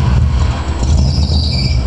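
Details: 1986 Camaro IROC V8 at idle: deep, lumpy idle with a dull, uneven thumping underneath; owner suspects rod knock, not confirmed.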